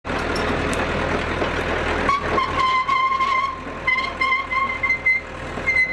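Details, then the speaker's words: Hitachi UH043 excavator, rescued abandoned machine, tracking; shrill steady squeal comes and goes from a seized track top roller; owner hopes it just needs grease. "I wonder what that screeching noise was. I noticed this top roller has seized up."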